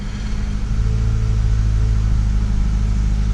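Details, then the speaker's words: Acura TSX 2.4 after replacing the faulty ignition coil that caused a cylinder 2 misfire: deep, even engine note settling steadily with no stumble or miss, sounds like new; normal running. "let's crank it up and see how she runs that sounds like a brand new one sounds like a brand new one"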